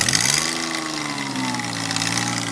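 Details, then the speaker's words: 2003 Ford Escape at idle: a loud, raspy, throaty burble like a 302 V8 with open headers. An exhaust-side leak from a bad EGR is suspected, not confirmed. "oh yeah kids this is beautiful this is a 2000 whatever even listen to this man sounds like a 302 with a set of headers"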